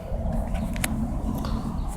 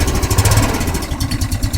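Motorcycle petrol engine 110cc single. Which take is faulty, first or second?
first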